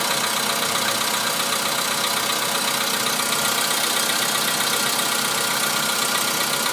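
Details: VW Polo Sedan cold start at −2 °C outside: cold idle with a fast, fairly regular light tapping about four per second over a hissy engine; engine knock when cold, cause unknown, later running smoothly.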